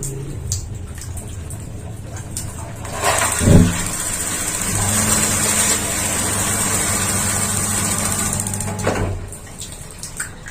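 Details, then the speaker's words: Paloma gas water heater fed by a water pump, set to high: a thump as it lights, then a steady low roar with rushing water for several seconds; burner running normally. "Ini menggunakan pompa. Jadi, bahkan pada pengaturan terendah sekalipun, lampu itu pasti akan menyala."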